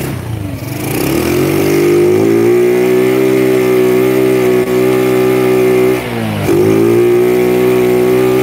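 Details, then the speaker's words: Old Honda Grand motorcycle, freshly assembled engine with new carburetor, idling smooth: revs rise under throttle then hold flat and refuse to climb; engine won't rev past a limit, electrics and ignition suspected. "Nah, kalian bisa lihat sendiri, ini motor itu mentok digas, gitu kan?"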